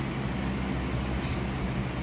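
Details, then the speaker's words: 2000-01 Lasko 3733 box fan with a heavier motor and a deeper-pitched blade set, on medium: a steady low hum with an even airy rush and a slight "wizard" sound. Normal running. "The medium actually sounds like medium. And yes, this one does have that wizard sound to it."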